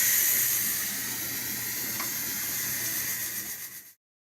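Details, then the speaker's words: Electric pressure canner near the end of a 90-minute processing run of meatloaf and chunk chicken, about 2 minutes left: steady, even high-pitched steam hiss from the top, no sputter or pulsing, fading at the end; normal steam venting. "Still a little steam coming out the top, of course."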